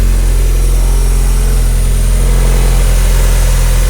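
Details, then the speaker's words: Car on its first start and drive after nearly a year sitting, owner thinks it is leaking oil: deep, steady idle rumble with an even beat and no knocks, misses or squeals. Normal idle. "It's been a year, it's been good. You can hear the engine rumbling."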